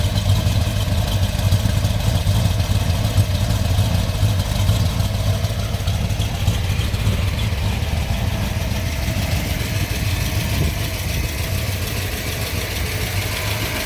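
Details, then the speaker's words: 1970 Ford Mustang Mach 1 with freshly built V8, solid lifters and mild cam, just started: slightly uneven, loping low rumble with faint lifter ticking; normal cam lope, engine otherwise healthy. "Like I said, you can hear those solid lifters. A little bit of a shake to it. It's that little cam."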